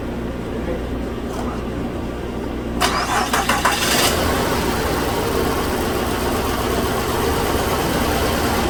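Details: 2007 Mazda CX9 V6 (thought to be 3.5 L) with low power and codes P0351 and P0355. Coil 5's control transistor has failed and coil 1 is shorted on, suspected failed. It cranks, catches and settles into an uneven, lumpy idle from two dead cylinders.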